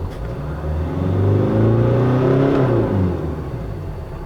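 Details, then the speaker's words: Korean VGT turbodiesel with jerking on acceleration, intake air and boost pressure watched on service data; on pedal press revs rise then settle with a wavering, surging whoosh as the vanes close badly: turbo boost fluctuation from faulty VGT control solenoid. "When you press the accelerator pedal, the intake air and booster pressure go up at the same time"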